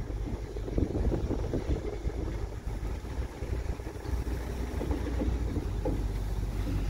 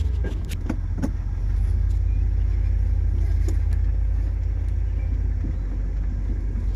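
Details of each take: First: 1968 Ford Galaxie XL Convertible, 390 4V with C6 automatic, first drive after getting it home: smooth low engine drone with wind rush, no knocks or gearbox whine; engine and transmission healthy, though front end components loose when braking. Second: 1968 Ford Galaxie XL convertible, 390 4V with C6, first start after the trip home: deep V8 idle with uneven lumpy beat and sharp pops underneath; rough running, carburetor issues suspected.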